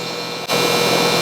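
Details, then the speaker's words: Upstairs air conditioner running but producing a harsh, steady high-pitched electrical buzz the moment it kicks on from the thermostat, sounding like a chattering contactor, later replaced; cause not confirmed: loud buzzing at switch-on. "hough it does work, it's actually producing a really high-pitched buzzing noise, and I'll show you that here in just a second."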